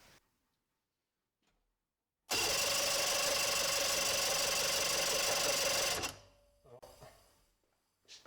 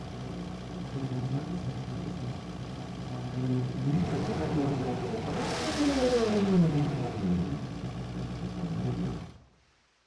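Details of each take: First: 1995 Sea Ray Sea Rayder Sportjet, 120 hp two-stroke vertical engine driving jet pump: starter whirs steadily about four pulses a second but engine never fires; no spark at all, wiring suspected. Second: 1995 Sea Ray Sea Rayder Sportjet with a 120 hp two-stroke vertical engine (120XR) driving a jet pump, after spark and timing repairs and a new stator: runs steadily, revs up and down cleanly, then shuts off; normal running, heavy smoke.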